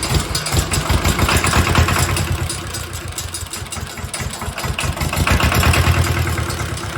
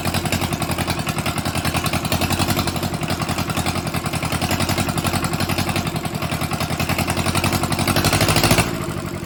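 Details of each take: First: Mitsubishi D1800 II diesel after cylinder head replacement, valve lash at 0.015 in, about half/part throttle with exhaust stack and muffler fitted: steady diesel clatter, even pulses, muffled exhaust, no knocks or misses; normal running. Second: Mitsubishi D1800 II diesel, first run after cracked cylinder head replaced, with glow plugs: uneven clatter at fast idle, swelling then sagging and recovering; owner suspects air still in the fuel system and possibly a governor issue.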